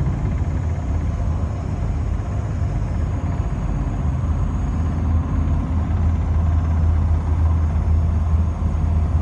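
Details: BMW E30 driving: low, uneven rear thumping under a steady engine drone; source not pinned down, owner suspects wheel bearing, axle, shock mounts, driveshaft or rear differential.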